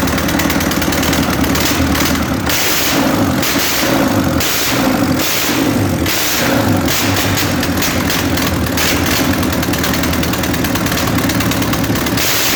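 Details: Diesel A-41 engine first start after major overhaul: clatters and runs up and down with throttle blips, picking up cleanly each time with no knocks or stalling; normal running.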